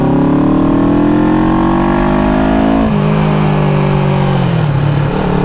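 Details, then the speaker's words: 1974 Honda CB360 twin cruising at a steady 30 mph after points adjustment and stopping the points grounding out. Smooth, unbroken exhaust note with no sputter; it previously sputtered when holding speed. "No sputter there. She was sputtering when I tried to maintain speed. That's 30, maintaining 30."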